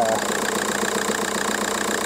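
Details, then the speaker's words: 2002 Volkswagen Golf PD130 diesel after replacing the injector wiring loom: steady, even diesel idle with smooth unbroken beat, no stumble or missing cylinder, clean on revving; no vibration, healthy. "yeah listen to that baby purr give it a bit of a ram oh yeah we all bang on guys"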